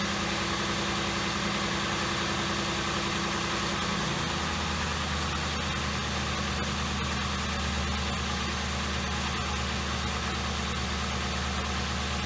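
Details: 2007 Ford Crown Victoria started after spark plug replacement for a misfire, with white smoke that later cleared at operating temperature: the engine settles within seconds into a smooth, even low idle with no stumbles or skips; a normal idle.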